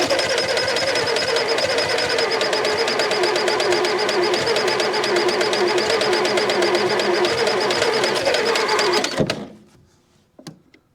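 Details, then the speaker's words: Massey Ferguson MF711 hydrostatic skid loader, sat non-running 20–25 years, first start after salvage on choke: small petrol engine runs at a fast, steady, even clatter, sounding healthy; slight exhaust leak, possibly burning a little oil or from two-stroke gas. "she's GNA do it exha leaks a little yeah little mfer is running first time in 20 to 25"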